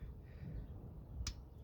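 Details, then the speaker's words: Vauxhall Astra J/GTC oil change, click-type torque wrench on a T45 bolt set to 14 Nm: two sharp metallic clicks over a quiet background as it reaches setting; tightening is done. "there you go don't know if you can hear that but you can hear it clicking that's it you don't need to tighten it no more"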